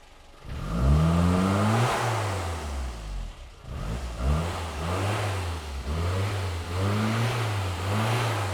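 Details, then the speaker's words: Low-mileage 1984 Austin Mini; engine revs in repeated blips with a brief stumble partway up one rev, a mid-range throttle hesitation. "You see there's just that little bit of a hesitation there midway. It just kind of goes"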